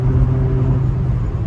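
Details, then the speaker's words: Renault Laguna 2 under hard acceleration to about 4000 rpm, over 100 km/h: heavy low drone with buzzing vibration. The underbody skid plate left unbolted after an oil change is rattling, not the gearbox. "це Власне цей звук це який я говорив які дає дискомфорту це все защита бо йде дуже багато вібрацій"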